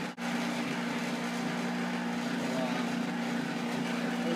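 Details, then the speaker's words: Fusion juicer motor runs at steady speed juicing apples with a light rattle from a slightly out-of-balance spinning basket, not that bad. "Hear that rattling? It's out of balance. Not that bad"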